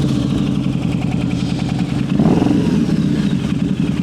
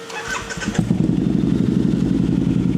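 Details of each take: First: Harley V-Rod, at idle on the dyno after clearing codes, before baseline runs: uneven, loping idle with skipped firing pulses. Misfire, later traced to wrong, loose spark plugs. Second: Harley V-Rod, after fitting correct fresh spark plugs and a new pigtail to fix loose, wrong plugs and a bent pigtail: brief crank, then a steady, even, throaty idle with no misfire or stumble. Normal start and idle.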